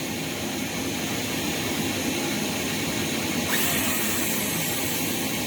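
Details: Rainbow R-2800C power nozzle motor run on its own before disassembly, giving off a terrible smell: harsh, rough high-speed whir with a gritty hiss over the hum; needs lubrication and possibly a bearing.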